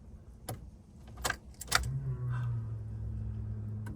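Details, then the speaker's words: D16Z6-swapped Honda Civic EF hatch race car with rebuilt engine, key turned on before first start: low steady electric hum for about two seconds then clean cutoff, fuel pump priming normally; a fuel leak was found afterwards. "That pump sounds good."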